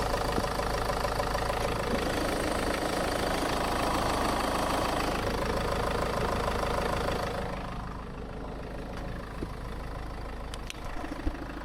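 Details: Steady, even idle after a radiator and coolant job, with the system being bled and the heater blowers on max (no AC) while checking for leaks. A loud heater-fan rush drops away partway through; no misses or knocks, the engine runs clean.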